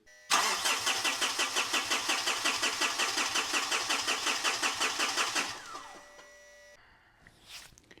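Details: A 2013 Mitsubishi Fuso FG 4P10 diesel truck cranks steadily at about three compressions a second for five seconds with no sign of firing. Codes and wiring were checked and the cause is still unresolved. Cranks but will not start.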